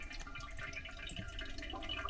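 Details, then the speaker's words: Toilet tank slowly leaking into the bowl past a deformed flapper, no visible flow: faint steady trickle with occasional drips in a quiet bathroom; running toilet leak, later fixed with a universal replacement flapper. "You can't see any water coming down, but it sure is leaking."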